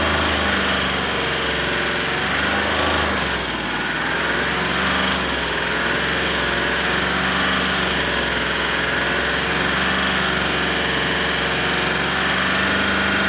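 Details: Range Rover SDV8 diesel idling: a faint, uneven tapping at three to four per second over a hissy background. The knock persists after two new turbos, EGR valves, oil and EGR cooler seals, oversize big-end bearings and a crank skim and polish.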